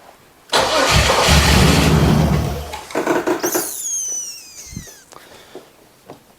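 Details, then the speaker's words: 1996 Camaro 3.8 L V6: engine fires and runs strong about a second and a half, then cuts out cleanly without sputtering; owner suspects the security system shutting it off, not confirmed. "really honestly sounds like security stuff cuz it just dies it doesn't like sputter out"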